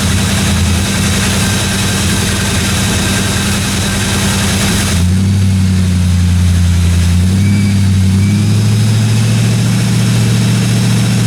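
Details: 1957 Chevy 210 project car during its first-run camshaft break-in of about 20 minutes: steady, even running with a low smooth beat and no top-end ticking or knocking; valve train sounded good, normal running.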